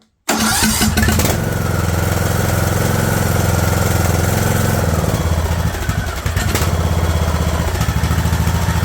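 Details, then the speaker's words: Craftsman LT2000 lawn tractor engine, run without choke after straightening throttle linkage that held idle up: catches then settles into a slow, lumpy, uneven chug near stalling; an earlier try died on its own. Idle set too low. "all right there we go I actually got it too slow try that"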